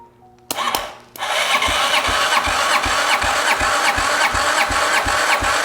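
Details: 2009 Arctic Cat DVX 300 ATV, long stored, cranked by jumping the starter solenoid with a 100 amp start during a compression test: the starter turns at an even pace, about 160 compression pulses a minute, with no firing. Compression reads 160 psi.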